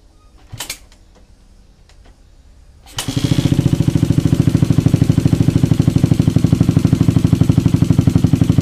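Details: Carburetted engine fitted with a PWK 38 carburetor, previously hard to idle and hissing at low rpm: catches quickly and settles into an even, steady idle with a regular muffled exhaust beat and no stumbling.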